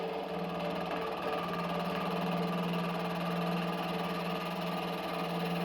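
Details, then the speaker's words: Used small milling machine taking a light cut in round aluminum bar: steady motor hum with a light, even cutter chatter and no grinding or squeal; cutting fine. "I'm afraid of making a large cut, so I'm only cutting lightly, but it seems like it will be fine."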